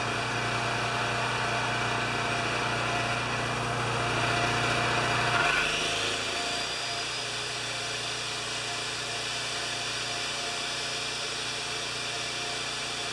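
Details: Champion 3000 W generator, brought in as a non-starter, running without choke after fiddling; doesn't run like new, has been around the block, oil change next. Steady, even drone with a brief blip midway, then settles; worn but normal running.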